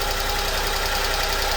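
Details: Honda Acty after valve cover gasket and distributor O-ring replacement caused no-start: fixed by reinstalling distributor rotated 180 degrees; even steady idle with regular low pulse, no misses; normal idle.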